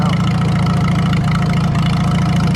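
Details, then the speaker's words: Farmall B tractor engine, run without coolant, steady low idle with loud open-exhaust burble, no misses or knocks; governor shaft rebuilt because it wouldn't idle down fully, now idles down nicely; normal idle. "that idle's down a lot better too that was part of the reason i went rebuilt that governor shaft because it didn't want to idle down all the way it was getting warm but it idles down pretty nice now"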